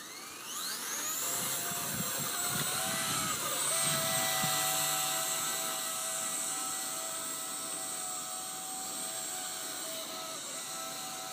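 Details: Blade 130x electric helicopter: spools up into a high whine with several steady tones that dip and shift, strange noise varying with main motor speed.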